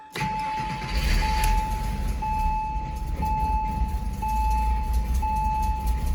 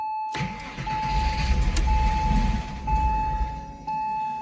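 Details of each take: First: Porsche Boxster 986 after fuel filter replacement, started once the lines primed: steady low rumble settling into even warm-up idle, dash chime pinging about once a second; runs fine, though a check engine light appeared. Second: Porsche Boxster 986 after fuel filter replacement: starter churns in uneven pulses, about three and a half a second, with a steady chime over it, and the engine never catches; the fuel lines still need to fill; extended cranking without start.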